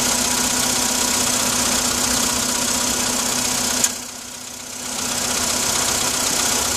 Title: Стук на холодную